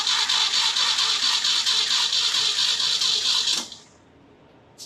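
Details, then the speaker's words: 1969 Jeep CJ5 Dauntless engine just converted from 2-barrel to new 4-barrel carburetor: starter cranks steadily at about two pulses a second with no firing, as the fuel pump must fill a dry carburetor with nothing to prime it; cranking without starting. "okay it's going to have to crank for a while wow because fuel pump fuel pump we don't have anything to Prime that carburetor"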